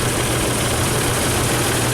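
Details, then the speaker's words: Isuzu Rodeo idling rough with a deep hum and unsettled edge: misfire on cylinder 4, coil gives no spark in spark tester; ignition problem being traced. "okay it's misfiring got wheel number four let's pull it out no spark how about that that's pretty cool"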